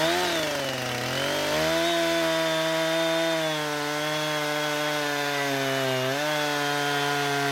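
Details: Husqvarna 455 Rancher chainsaw after an ignition coil replacement, cutting wood: a high steady buzz dips briefly under load and recovers cleanly, with no stumbling or surging over a full tank.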